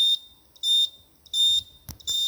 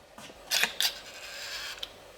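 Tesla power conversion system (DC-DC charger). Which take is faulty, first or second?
first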